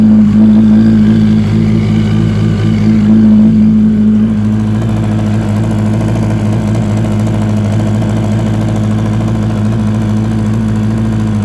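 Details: 2004 Yamaha R1 track day bike: steady idle with a light, regular knock about three per second from the engine's left side; no smoke or power loss; owner wonders about spun bearing or valves, unconfirmed.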